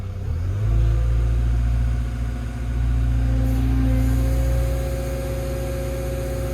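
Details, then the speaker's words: Brand-new Develon digger on site in East Yorkshire that won't run properly despite driver changing filters; fuel flow from tank fine, lift pump sounds like it's working. Deep diesel drone sags in pitch and loudness then recovers to steady run: engine bogging, cause unknown. "think it did just try and bog. There it goes. There it goes."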